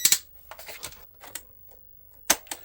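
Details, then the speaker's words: Cheap modern USB cassette deck, used to save programs from an MSX computer: sharp irregular clicks and snaps with silence between, no steady tape run; transport physically stuck, won't turn. "oh this is great it's just physically stuck turning its tracks oh what a lump of junk what a lump of junk"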